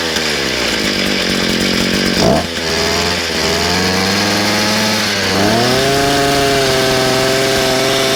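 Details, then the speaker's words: Small two-stroke, after a kink in the fuel line was removed, revs up and settles to a clean, steady high speed without surging or stalling; normal running. "There it is. Sounds good."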